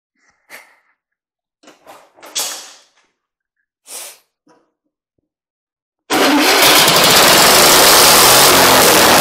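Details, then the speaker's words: Engine on an antique buzz saw rig, long unused, run after clearing a mouse nest to restore cooling airflow: handling noises, then it fires and runs with a loud, steady, even roar, no misses or knocks; healthy. "much better airflow across the cylinders so let's take it out and give her a test run"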